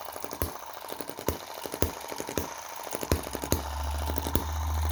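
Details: Cheap Chinese M19/EM2 hit-and-miss engine, carb flow reduced with metal putty: sharp firing pops spaced by quieter coasting, about two to three a second, with a steadier hum near the end. Running properly after tuning.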